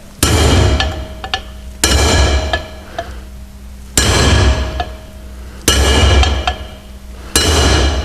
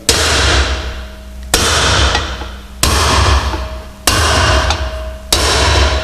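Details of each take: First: Drifting wheel studs into the original hub when fitting a new brake drum (Volvo Amazon/PV544/P1800): sharp ringing hammer blows about every two seconds; a high bright note means the stud is not yet home, a deeper solid note means seated. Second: Amazon-series car (PV544/P1800 family) rear hub, drifting wheel studs into a new brake drum on the original hub: five even hammer taps with a deeper, solid note rather than a sharp high-pitched one, showing each stud has fully seated.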